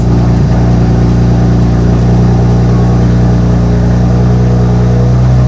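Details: After reassembly, car in neutral: loud, steady engine hum with even firing and no clicking, knocking or stalling; the engine runs smoothly and holds a normal idle.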